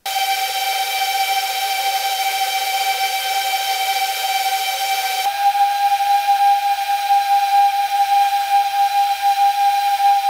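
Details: Whoop brushless motors compared before and after oiling the bearings at the same throttle: a high, steady whine that steps up in pitch and smooths partway through. Higher pitch means faster spin, and less gyro noise was seen; dry motor bearings.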